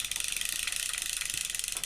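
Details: Ocean City 920 level-wind fishing reel after disassembly, cleaning, lubrication and reassembly; fast, even clicking, around fourteen a second, no catch or hitch as the handle turns. An earlier hitch was possibly a loose screw catching inside. Runs smoothly, healthy.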